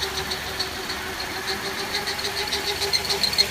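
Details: Toyota Ipsum (SXM10) engine running: loud pulsing whir with a steady mid-pitched whine on top; noise from the power steering pump.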